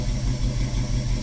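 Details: 1971 Mustang, stock engine with newly installed FiTech EFI, first start after new fuel sending unit, in park, AFR 14.5: smooth even low burble with steady beat, nothing uneven underneath; clean normal idle.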